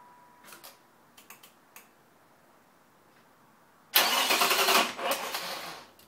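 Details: 1996 Ford Probe GT 2.5L V6, 145,000 miles, after new plugs, plug wires, gaskets and other maintenance: fast even cranking that never fires; plug wires were misrouted because the manuals mislabeled the distributor cap terminals.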